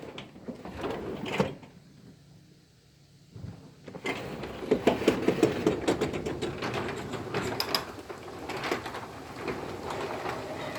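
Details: Garage door in operation: rattling run broken by sharp knocks and a bang as the #3 section strikes the torsion spring centerpiece; door also sticks and rubs, tight on one side.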